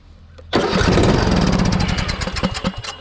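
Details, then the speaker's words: Craftsman T130 riding mower, fuel cut-off valve just fitted: starter cranks and the engine catches with a loud burst of uneven firing that fades out, not pulling gas through the carburetor; owner suspects a bad solenoid or gummed-up carb. "still hitting but it's not pulling any gas through that carburetor so something's guming up that carburetor could be a bad selenoid something's going on with that carburetor"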